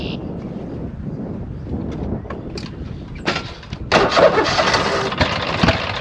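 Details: 26 HP Kohler V-twin lawn tractor mowing deep grass at full throttle just after two new ignition coils were fitted. It runs ragged, popping and stumbling, not smooth at high RPM. Sputtering misfire.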